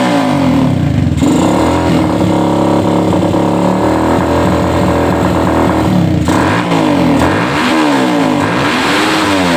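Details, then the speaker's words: Suzuki Satria FU 150 before rebuild, slow to gain revs: revs in lazy sweeps with pitch climbing late, never reaching a high-rpm scream; valve shims found mismatched, one thick and one thin, replaced along with porting. "jadi Honda ini kondisi Mesinnya tidak mau ngejerit ya kita coba hidupkan dulu Seperti apa sebelum kita Sebelum kita rehabilitasi ulang"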